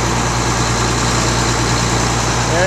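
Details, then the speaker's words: Rebuilt tractor diesel after its first start, brought up to high idle: it holds a steady, fast idle with an even drone and no knocking, misfire or surging; a normal high idle. "Sure I ain't got any leaks here. Must be nothing spraying out. Now I'll get this up to a high idle."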